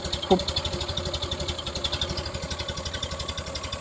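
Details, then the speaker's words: 1930 Model A Ford at slow idle after its cheap reproduction muffler was rebuilt with new innards toward stock specification: soft, even, cushioned exhaust pulses with the sharp banging gone; normal, quieter exhaust note. "so here's what I mean the sharpness is gone it sounds like it's DED down through a cushion or something it's no more bang bang it's"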